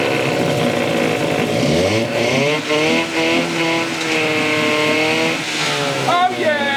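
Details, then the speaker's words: 1963 Evinrude 5.5 HP two-stroke outboard after carburetor needle adjustment: buzzy drone climbing and settling smoothly with throttle, no misses; running clean and steady. "Bo he sounds a lot better let put it in gear see we all righty"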